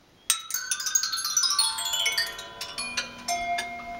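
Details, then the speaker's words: Scrap turbine engine with turbine shaft cut: small screw dropped down through the compressor rattles through, blades ringing with bright falling notes, exiting out the front; a sound turbine techs never want to hear. Foreign object through compressor. "And I'm about to drop this little screw, that screw, down through the compressor so you can all hear the terrible sound you never want to hear when working on turbine engines."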